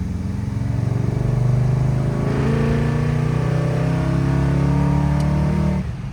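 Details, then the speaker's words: 1972 Dodge Dart Swinger V8 with new engine and Flow FX mufflers, deep smooth burble rising evenly through the gears, quieter at idle and cruise, no rasp like the old exhaust; normal exhaust tone. "Yeah. Much better tone, deeper tone, a lot quieter at idle, a lot quieter at cruise RPM."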